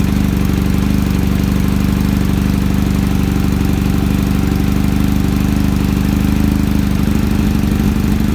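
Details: Kawasaki ZX-7R inline-four on carburettors, just started cold after the idle circuit faltered: it now holds a steady, even fast cold idle with no misses, and the idle screw works again. The owner suspects debris in the fuel/idle circuit was the cause.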